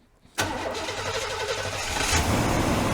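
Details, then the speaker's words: 1997 Chevy C1500 pickup that sat about 8 years, started after electrical repairs with zero codes; it cranks once, catches at once and settles into a steady, even idle with no misses or knocks: a normal start. "listen to that baby I'm buring look's good so far"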